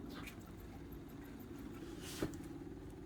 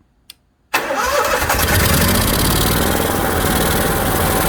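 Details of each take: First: Onan 5500 RV generator after fuel filter leak repair, primer button pressed: faint steady low buzz as the fuel pump primes; owner notes it should be nearly silent and a loud pump means a bad pump. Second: Onan 5500 RV generator, after replacing a leaking fuel filter and clamping the fuel line, running without the air filter: fires at once and settles into a smooth, even, steady roar with no misses or knocks. Runs healthy.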